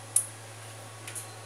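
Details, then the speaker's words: TS Shara SOHO II 800VA UPS after replacing a broken component (previously dead, earlier tripping under load): one crisp relay click and fainter follow-up over steady low hum as it switches to battery inverter. Normal relay switchover. "e ela está invertendo vamos apertar de novo é normal desligando e vou normal voltou estabilizou"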